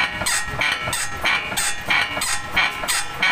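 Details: Toyota Fortuner rocked up and down while stationary gives a rhythmic high-pitched creak, about one and a half a second, from a worn, rusty ball joint; the shock absorber is also damaged.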